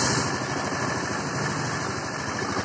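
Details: Honda Scoopy FI after piston replacement for white smoke and stalling: even, steady idle with a light quick patter, no misses or knocks; normal idle.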